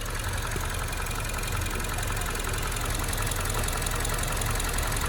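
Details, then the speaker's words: Toyota RAV4 parked with Auto Hold on, AC off, windows closed: loose, uneven knocking at about 160 a minute over a rough idle that shakes the whole car, louder than before; internal engine fault suspected, cause unknown. "之前没有这种敲击声这么吵的，对，现在就是变得很吵起来了。"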